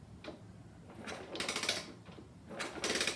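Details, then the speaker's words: Supercharged postie bike engine that died with a loud crack at idle, turned over with the gearbox and oil pump ruled out; light uneven clicking in short bursts; clutch suspected, not confirmed. "what we know now so far is that it's not the gearbox not the oil pump now we have this hear that noise"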